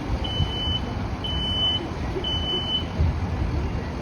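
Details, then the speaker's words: Fire department burn demonstration room with no accelerants: three evenly spaced high-pitched half-second smoke alarm beeps over a low fire roar as the room fire develops, before sprinklers compared. "Does anybody hear any beeping yet? No? So you're still sleeping. Let's imagine that you're sleeping."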